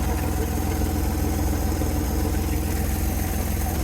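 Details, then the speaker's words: 1970 Chevrolet C-10 junkyard truck, engine started and warming: steady heavy idle with an uneven lumpy beat about twice a second; no oil pressure reading, wood wedged at the engine mount; runs rough, cause not pinned down, 400 or LS swap considered. "it doesn't run well and I don't think we're going to throw more money into this thing uh to get it to that point"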